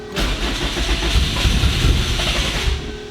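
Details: 800HP Subaru WRX STI boxer engine with a hybrid setup, after breakdown and a lot of fuel in the cylinder: starter spins it evenly at about three to four beats a second but it never fires; crank no start.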